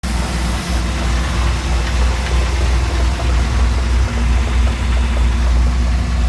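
Deep, heavy V6 idle with a dull, uneven knock riding in the low rumble, a bit over three per second; source not pinned down.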